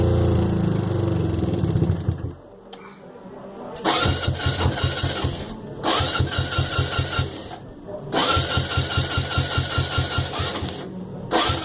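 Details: Suzuki Yes small single with engine problems: short bursts of quick, uneven sputtering beats with a tinny metallic rattle, dropping out between bursts; unknown engine noise, cause unclear.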